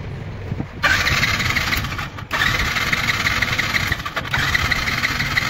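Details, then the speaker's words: Yamaha FZ V2 fuel-injected motorcycle with a starting problem: the starter whirs in three bursts but the engine never fires; there is current but no petrol from the injector, traced to an ECU fault. "இந்த fz version 2ல வந்து வண்டி starting பிரபுள் வண்டில வந்து current எல்லாம் வருது but petrol வரல"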